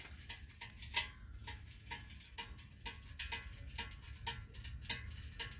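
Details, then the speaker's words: Predator 8750 generator in its shed, just shut off after running the house with fuel valve closed: irregular light metallic ticks over a quiet hum, hot metal contracting as it cools, normal. "So there we go, generator's off. You can hear the metal cooling down."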